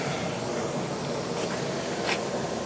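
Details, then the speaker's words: Leaking Trane HVAC unit with oil all over the base, recharged with nitrogen to pinpoint the leak: steady, even hiss of nitrogen blowing off; leak detector alarms everywhere, so the coil is to be unsweated and removed — nitrogen leak hiss. "that that sound that's nitrogen blowing off I put some more nitrogen in there just to see if I could you know pinpoint it"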